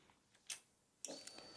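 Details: Motorcycle heated-grip circuit with a newly fitted automotive relay: two crisp light clicks about half a second apart as the ignition comes on; the relay pulls in and powers the grips normally.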